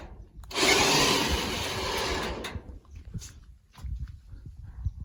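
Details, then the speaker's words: Car trailer with a newly installed winch on a trailer box, battery weak and needing charge: brief rushing motor drone under load, then rattles and handling noise; the winch pulls the car up easily without straining. Normal winch operation, with a noted start delay. "There we go. Just like that. Very, very easy. So that pulled it up there with not an ounce of problem."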